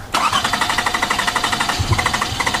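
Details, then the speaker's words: Toyota Camry, intermittent no start with exhaust backfiring, runs fine when it starts: starter churns steadily at about eight to nine pulses per second without firing; crank sensor signal only about half a volt while cranking. "awesome super weak when you were cranking hold on let me go back I want you to see this look how weak this signal is cranking right here is where you're cranking it"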